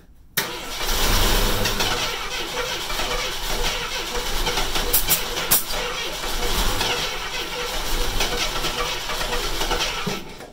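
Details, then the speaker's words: AMC Hornet, wouldn't catch on gasoline so starting fluid used: cranks, fires and catches into a rough but steady V8 idle, no knocking or clatter; normal start. "don't hear anything catastrophic in the engine right now so this thing might be a runner we'll see"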